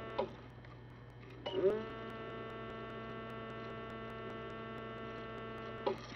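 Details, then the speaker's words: 2013 Fiat 500 Abarth turbo after-run coolant pump, which stopped running after battery loss as the ECU gave no ground to the relay: forced on via added relays, a steady low electric hum with faint whine, pump running normally. "so what I'm going to do is hook up a couple of relays so that when I touch that wire to ground you can hear it or not but that makes the pump run"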